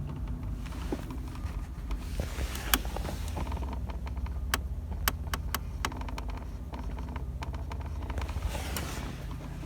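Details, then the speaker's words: Toyota Corolla Verso, creak heard while driving and when changing temperature setting: irregular sharp creaks and clicks behind dash from replaced heater blend door motor, likely insufficient grease; to be greased. "So, what I've been doing is I've noticed that when I change the temperature up and down, that creates the creak. So I know the noise is coming from the blend door motor."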